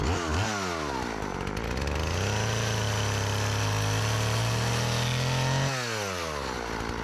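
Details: Old Partner 405 two-stroke chainsaw, repaired of stalling on throttle, sharpened chain, just refuelled after running out of gasoline, cutting very hard almond wood. Revs sharply, holds a strong steady buzz without bogging, then returns to idle. It cuts well.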